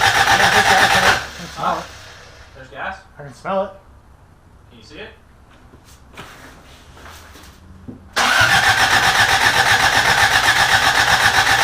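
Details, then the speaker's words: Rebuilt carbureted Toyota Corolla, first start attempt: even starter churn about four beats per second, twice, no firing; cranks freely but fuel not reaching carburetor, old gas believed bad. "but it didn't work all rights take you forever for the gas eat up there so i'm gonna guess try to siphon some gas out into a cup or something pour it in there"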